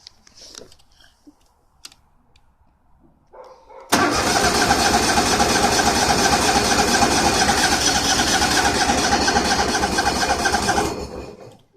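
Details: Tractor on a warm day: steady, even cranking chug for about seven seconds that never catches; won't start.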